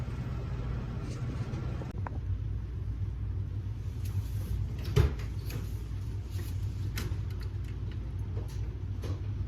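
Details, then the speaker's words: 1984 Chevy Camaro V8 with an electric fan replacing the clutch fan, cold start: deep, steady, even rumble without knocks or misfires; normal cold start. "I'm gonna give you guys a cold start too, let you hear how it sounds."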